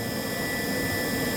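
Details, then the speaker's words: Indesit 8 kg vented dryer IDC 85 GCC, previously humming with the drum not rotating. After the capacitor fault was repaired, it gives a smooth continuous whir with a steady high tone and the drum and motor running evenly. Unit still dirty, ducting blocked, cleaning pending. "yeah it is working that's when we resolve the problem because only the capacitor problem the machine is running well"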